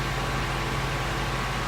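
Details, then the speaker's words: 2016 Ford Mustang Coyote V8 at operating temperature, 1,000 miles after oil change: steady, even low rumble and smooth hum with no ticks or knocks; owner also gave it some gas and all sounded normal. "as you can see I also gave it some gas and all sounds normal"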